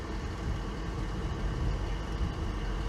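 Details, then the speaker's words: 2003 Honda Pilot at idle after TPS replacement with codes present: low, uneven engine note lumping and surging, a rough idle fighting to stay running, unchanged from before; owner suspects a different underlying issue. "okay well I hate to say it it's running just as you did before"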